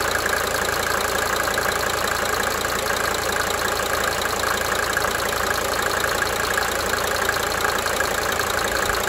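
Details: 1992 Mercedes-Benz 300D 2.5 Turbo diesel at idle: even clatter with fast cyclic injector ticking, roughly three a second, coming and going.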